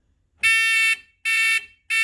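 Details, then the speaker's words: Renault Spider with a test telltale speaker wired into the indicator circuit (pin 9 live, pin 11 earth): a loud, shrill buzzer pulses about every 0.7 seconds in step with the indicators, like a lorry reversing. The reminder works as wired. "wow that's not annoying at all sounds like a lorry reversing so the principle works at least"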